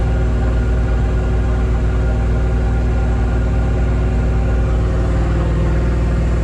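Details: Loud, deep open-exhaust rumble with an even, steady beat and no misses or knocks; a healthy overhauled V8 in a square-body Suburban idling without a muffler on a newly fitted Edelbrock 1405 carb, vacuum advance not yet connected.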